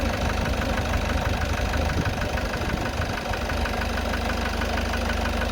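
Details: Citroen Relay van diesel at 12,800 miles, knocking since about 4,000 miles and worse as it warms: steady rough knock about three per second with a fretting sound over the idle, worsening over time; cause not found.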